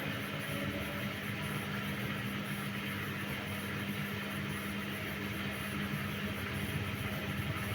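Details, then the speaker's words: Candy washing machine showing error E08, set to 400 rpm, drum turning: steady spin whir with a fine, irregular crackle over the motor hum; likely sparking at the motor carbon brushes, while the board and tachometer are judged fine. "Je sais pas si on entend bien sur la vidéo, mais je crois qu'on entend des petites étincelles au niveau du charbon moteur."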